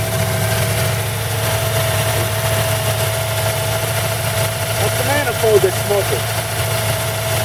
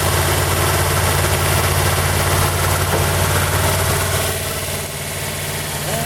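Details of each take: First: 1940 Buick straight-eight, first start in 30 years after a valve job (rings good on leak-down), idle being adjusted down from high (rusted idle cam): even, steady idle, smooth low hum, no knocks or misses; healthy, oil smoking off manifold. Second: 1940 Buick straight eight on its first start in 30 years after a valve job, run with the valve cover off: fast, steady idle with an even beat of about three or four per second, held high because the idle adjustment cam rusted stuck.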